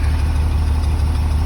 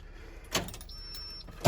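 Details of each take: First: 2003 Blue Bird bus, International DT466E diesel, just started at 11°F after jumper cables and another shot of ether, building air: deep, steady low rumble, even firing, no knocks or misses; normal cold idle. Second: 2003 Blue Bird bus, International DT466E diesel, cold start at 11°F, not plugged in, unrun for about a week, after a shot of ether: steady fast cranking chug about two beats a second, never catches; cold no-start needing more starting fluid.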